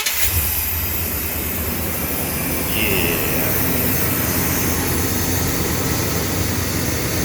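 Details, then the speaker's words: Old Chevy truck running after replacing computer, distributor, coil, coolant temperature sensor, wiring terminals and ignition lock; air cleaner lid flipped upside down with hose missing, so loud intake rush over a steady even engine note, no knocks or misses; normal running. "he said this hose is missing and that wasn't hot anyway so I said screw it I'm a foot put upside down so you hear all that air"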